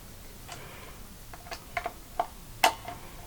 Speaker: Slacken off these bolts like a quarter of a turn each. And you'll hear some creaking and clicking going from the neck